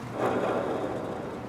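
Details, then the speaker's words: Boat trailer wheel hub spun by hand with wheel removed: rough, gritty grinding rasp from dry or worn bearings with visible play, also heard as a loud rumble while towing; bearings being replaced. "I removed the wheel. You don't have to, but since I'm changing the wheel to a larger diameter, I got to take it off anyway. And you can hear how loud the bearings are."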